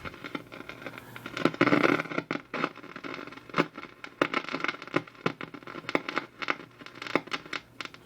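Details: Unusual radio set run from an isolation variac, drawing about 180 mA: irregular sharp pops and crackles in bursts over faint hum, no stations received; suspected audio-section problem.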